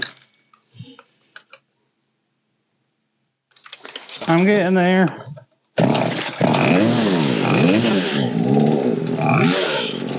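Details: Old Poulan 3816 chainsaw (16in bar) after carburetor low, high and idle adjustments: catches, revs up and settles into a steady two-stroke idle that holds without dying; running properly.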